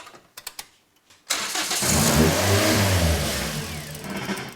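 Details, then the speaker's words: Toyota Yaris with a swapped Corolla 1.8L engine, first start after a cheap eBay turbo install and connecting the turbo oil feed: a few clicks, engine catches and revs hard, then sags and fades; starts but won't stay running, cause unconfirmed. "it wants to go he wants to go it just won't stay running will it no yeah okay cool the car won't run for long enough for us to see if the turbo charger is actually working"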